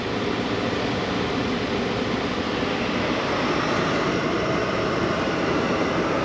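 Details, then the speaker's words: 2012 Chevy Malibu with about 86,000 miles, after blower motor and resistor replacement, engine warm, heat on highest setting: steady, even rushing airflow, no ticking, rattling or whine; blower sounds healthy. "I set it to the highest level you can hear the fan blowing"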